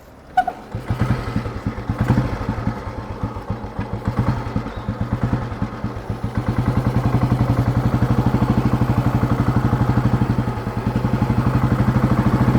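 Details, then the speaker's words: Fully restored, England-made 1971 Royal Enfield Bullet with its original exhaust, on a test drive in top gear. A deep, even thump at about four beats a second builds smoothly, running without knocking: a healthy old single. "Engine ரொம்ப சூப்பராக set பண்ணியிருக்கோம். நீங்கள் பக்கத்தில் போனீங்கன்னா இன்ஜின்லேருந்து ஒரு பிட்டு noise கூட கேட்க முடியாது."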